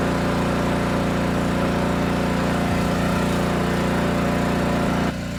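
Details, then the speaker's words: Generac LP3250 propane generator, about 7 years old, after regulator repair: steady even drone holding constant speed under electrical load, no misses or surging; healthy. "yeah not bad this thing fired right up and sounded good both loaded and unloaded so i'd say this one's done"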